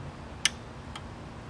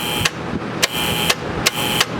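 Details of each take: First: Air-cooled TIG welder during maintenance: its relay points were cleaned and pushed by hand. Two crisp clicks, one on push-in and one on release, show the contacts now close properly. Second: Air-cooled P502 TIG welder: irregular sharp clacks over a steady hum as the right relay, switched by the foot pedal, cycles the big main relay; points already cleaned.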